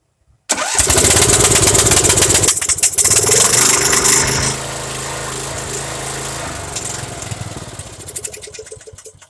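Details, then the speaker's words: MTD Yard Machines Yard Bug 9hp riding mower, cold start after fresh oil with starting fluid: engine fires and runs fast, then sputters and dies when throttled back to idle with choke left off. "i idled it down that was my fault i forgot it had a choke and then i idled it down to see if it would run"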